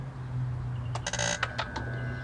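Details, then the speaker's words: 2004 BMW E46 325Ci with crank-no-start problem, ignition on, jump pack connected: steady low electrical buzz with clicks from tools being handled; cause of buzz undetermined. "Wow. Really not liking that that loud buzz that we're hearing, but we'll have to solve that later."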